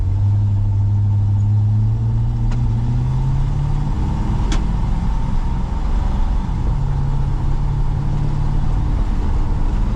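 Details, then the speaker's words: 1972 Chevy C10 pickup, stored in a locker since 1992 (33 years), on its first start: the engine holds a flat, high roar without dropping to idle, dips, then races again; throttle stuck wide open. "Oh that wasn't good. Throttle stuck. [laughter] That wasn't good at all."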